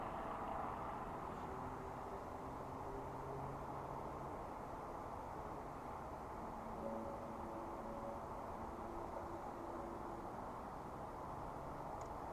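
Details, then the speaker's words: Silvel 8KW 12V diesel air heater on its first start: a soft, steady airy whoosh with no combustion roar yet. Only the blower runs while the fuel line primes, before ignition clicking and about 104 W draw. Normal. "so I just need to wait for it to primer out and start up so the pipe actually might be trying to fill up now so it is showing that the wind is blowing so it might just take a few minutes to get the fuel going"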